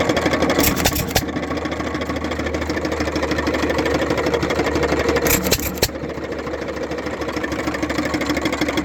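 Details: Economy (Hercules) 3½ hp hit-and-miss gas engine running: slow open-crank chuffing with uneven light knock in rhythm from play in rod bearing and wrist pin. Rod bearing and wrist pin wear.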